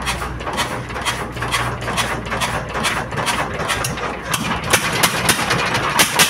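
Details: S1125 single-cylinder diesel that loudly knocked after running out of oil and being refilled, now repaired with oil, fuel and water refilled: even, steady thumping with no hard metallic knock; oil indicator good, running smoothly.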